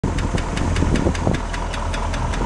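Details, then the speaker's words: Freshened International 345 V8 at idle: crisp, light, even tick about five times a second over the idle; noisy lifter. "sounds like a lifter so i'm not done i can't put the hood on can't do much else until i figure that out"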